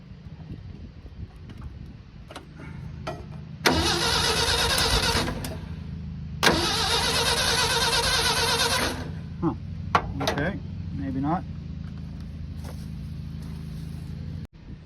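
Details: 1975 Ford F250 pickup that had long sat among trees, ignition hooked up with good spark: repeated few-second bursts of rhythmic starter churning with no catch or firing; cranks but won't start, cause not confirmed.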